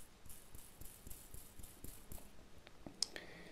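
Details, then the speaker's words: Metabo KHE 2444 SDS hammer drill rotor bearing, spun by hand after removal: rough dry clicking about four times a second as it slows; worn bearing with failed seal, dirt inside, heat-discolored race. "Ma to po prostu już dość."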